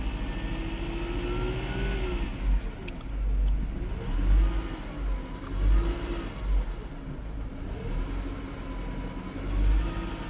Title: Mercedes c180 first start after timing chain replacement #automobile